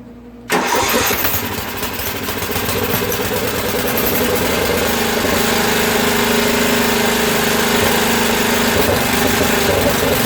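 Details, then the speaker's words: Craftsman rear-engine tractor, 13hp Tecumseh OHV, after valve repair for no compression: starts with a crack, then fast slightly ragged hunting beat; sounds lean, water in fuel; lean running engine. "okay so that sounds a little lean and she's got a lot of water in it um we're gonna try just to keep running it we'll turn out the idle jet a little bit more to see if i can get a little bit more fuel to it somehow"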